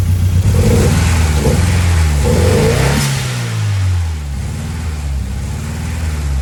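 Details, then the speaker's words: Ford Escort Cosworth during road-test preparation, cylinder 1 misfire found: engine revs and settles with an odd extra note over the low running sound; owner suspects a bearing damaged after the belt was run far too tight, smacking the pulleys. Abnormal engine noise. "All I know is it's making a bit of a different noise."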